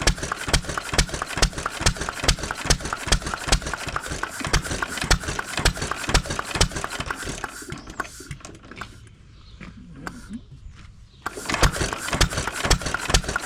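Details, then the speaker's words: 1920s Taylor Model B hit-and-miss vacuum engine, long sat, running on old gas after the fuel check ball was freed: pops about two per second, then coasting before firing resumes; normal hit-and-miss cycling. "Well, I guess we should have filled the tank all the way up, huh? She uh she definitely is a runner, ain't she?"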